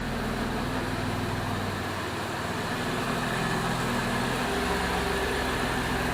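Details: 2002 Jeep Liberty 3.7 swapped engine idling after codes were cleared, check engine light out, coolant level good: steady, even idle hum with no knocks, ticks or stumbles; runs healthy.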